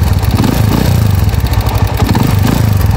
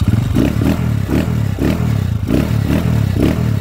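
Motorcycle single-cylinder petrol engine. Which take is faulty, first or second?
first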